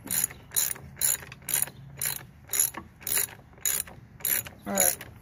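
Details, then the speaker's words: Toro Super Recycler GTS 6.0 self-propelled mower after gear drive rebuild, torqued to 32: crisp clicks about twice a second as the wheel turns, the drive pawl catching normally. "Hear that little clicking noise? So hopefully we got it in there."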